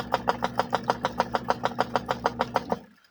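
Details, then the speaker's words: Vivohome portable washing machine after replacing the worn, loose belt and spacing the agitator with a washer: steady, strong swish-thump about three times a second with no rubbing; agitator turning with more force, running normally, never super quiet. "Much better. I can tell that it's turning with more force. Yeah. This thing was never super quiet in the first place."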